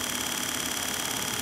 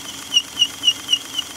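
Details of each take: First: Wheelchair motor after commutator cleaning (commutator still needs resurfacing), run on 12 volts: even high brush whir with a fine steady ripple and no grinding, much quieter than its earlier terrible sound; squeaks begin once the gearbox is engaged. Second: Electric wheelchair motor after cleaning the commutator and brushes, running on 12 volts with the gearbox engaged: a high thin squeak repeats about four times a second over a soft motor hum under load; it runs much better than before the cleaning.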